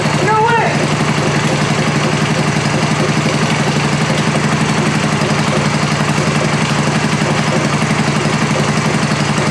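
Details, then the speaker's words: American Sportsworks Carbide 5150 go kart, GY6 150cc single, first start after replacing starter clutch (one-way bearing); fires and settles into steady, even putter about four beats a second, no missing or knocking, healthy normal idle. "oh that sounds good oh my gosh it's R it perfect"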